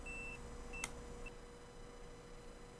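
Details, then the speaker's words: Dead 1 TB Toshiba laptop hard drive, not detected in BIOS: multimeter in continuity mode beeps in short high bursts across the logic board power input, confirming a short on the board. "so there is a short. Definitely there is a short."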